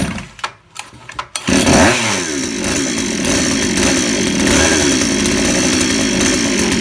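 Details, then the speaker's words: 63cc two-stroke with new aftermarket carburetor and stock coil, just started, choke opened: catches into a fast buzzy run that sags and stumbles slightly; idle speed too low, needs raising. "เพราะเดินเบาต่ำไปนิดนะครับเพื่อนตอบหน่อยเพิ่มรอบอีกนิดครับ"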